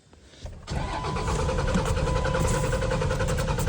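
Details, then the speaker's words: Dodge truck cranks fast and steady at about three and a half turns a second with uneven firing that never catches; crank-no-start, cause unknown. "Trying to get the Dodge started."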